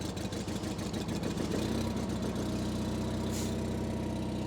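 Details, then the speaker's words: 1987 John Deere 316 lawn tractor twin-cylinder engine, just started on choke, still cold: steady, even low putter with smooth regular beat, no knocks or misses; healthy idle. "that twin cylinder sounds pretty good little cold still"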